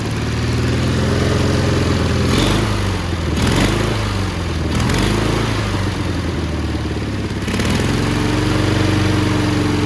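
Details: Cub Cadet 1430 lawn tractor abandoned for years, first start: idle surges, rising and sagging every second or two with ragged beat, burning off debris; owner thinks one side may be misfiring, later seems to lose spark.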